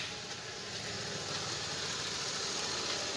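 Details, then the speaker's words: Idling engine with a harsh hissing whine from the power steering pump, which is also stiff to turn; noise persists after topping up fluid, so the pump needs overhaul or replacement. "maingay pa rin stearing pump so maingay pa rin siya So positive overhaul na"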